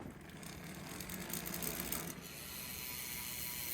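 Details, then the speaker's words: Replacement road bike, wheel spun on stand: quick crisp freehub ticking as the ratchet clicks, then quiet coasting with no bearing rumble or grind; healthy freehub. "no bearing noise I'll take it"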